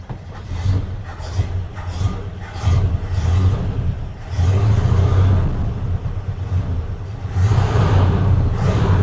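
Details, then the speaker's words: Tired 1976 Dodge Club Cab 318 V8 with low oil pressure, shot carburetor running very rich and valve-train noise: rough deep idle rises and falls every couple of seconds as if about to stall; surging idle, cause not confirmed. "Still sounds pretty terrible. But, kind of surging. Sound like it's going to die."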